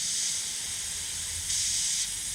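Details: 1969 Chevrolet Nova heater core under about 20 psi pressure test: steady high hiss louder as listener moves closer, leak suspected on back side or seam; air leak hiss.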